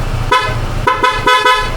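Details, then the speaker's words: Newly installed dual horn sounded at home: three or four sharp, bright blasts, each a steady strong tone over faint engine hum; horn works properly. "hindi ko pala naparinig sa inyo yung tunog ng busina na kinabit natin."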